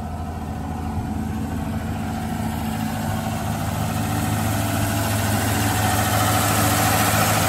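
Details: Chevrolet Nova project car that sat for years, fuel from a boat tank; steady, even, quiet idle with smooth low beat, no misses or knocks; runs great, normal idle.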